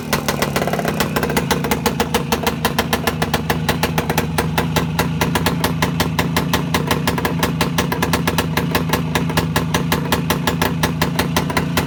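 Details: Voskhod 3 motorcycle single-cylinder two-stroke after a major engine overhaul; even, crisp popping at a steady idle with no knock or misfire, running smoothly.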